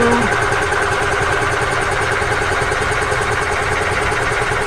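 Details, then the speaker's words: Old EZGO gas golf cart engine after carburetor work (it had run only with the choke out): loud, uneven cranking and sputtering while fuel fills the bowl, and the junk fuel line leaks. A rough start from poor fuel supply. "It's going to take a little bit of cranking to get the fuel onto the fuel bowl, but we'll be able to tell if it's going to run or not."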